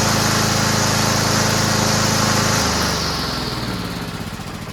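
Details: Toro Recycler mower rebuilt from three broken mowers with a used engine mounted, oversized belt fitted so self-propel won't work: single-cylinder engine runs a crisp, even beat, then settles lower as it slows, no misfire or rattle; engine runs well.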